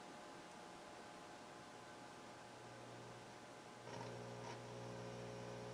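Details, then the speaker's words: Technics SL-DD2 direct-drive turntable with a stiff platter bearing, played through a Nikko NR-700 on phono. A steady low mains hum rises slightly, less than before, possibly from the cable connections (suspected, not confirmed): phono hum. "The hum isn't as bad as it was the other day. Maybe it was the cable connections."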